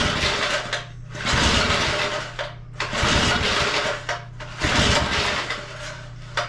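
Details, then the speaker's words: Second small edger engine, started after spraying car cleaner, choke status unknown. Uneven surging bursts with a harsh, raspy screaming sound on top. Recoil starter squeal; the starter seems to be dragging. "But that is the screaming I was talking about. It's not the prettiest sound. Definitely an ugly sound."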